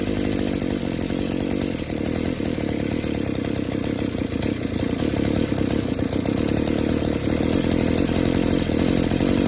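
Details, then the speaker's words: Echo Power Edge 280 curved-shaft two-stroke edger that runs okay at wide-open throttle but smothers and dies at idle. After a fuel-system pressure test it still buzzes unevenly and loads up. Suspected clogged exhaust or scored piston and cylinder. "up oh you hear that it still wants to load up it's going broke one of two things that could be exhausted stopped up and or the piston is cylinder could be scored"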